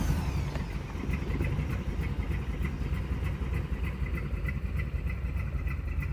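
Engine catches right away, then settles into a steady, even idle with light regular ticking and nothing rough underneath; a clean start.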